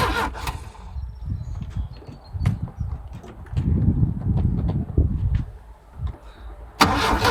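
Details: Volvo AQ131C: uneven starter churning with sporadic sharp backfire pops for several seconds; cranks and backfires but never starts.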